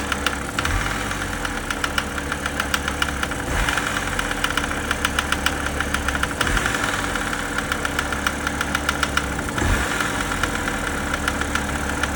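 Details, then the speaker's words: BMW E90 330xi idling: sharp, regular knocking ticks in step with the idle, not the accessory drive; internal engine knock, later confirmed by glitter in the oil filter housing; engine toast. "It definitely doesn't sound like accessory drive. He's really not happy now. I think this thing's toast."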